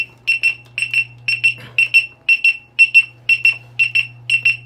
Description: My exn has hall failure issue, don't ride it if you have this alarm, it will continue beeping.